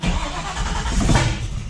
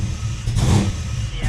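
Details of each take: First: Ford Falcon XB GS, fuel-injected, restart after changing enrichment decay rate: rough, loud, uneven surging without settling to idle; owner suspects engine flooded. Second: Ford Falcon XB GS after flooding cleared itself following enrichment tuning: two clean throttle blips rising and falling smoothly with no stumble or misfire; much better.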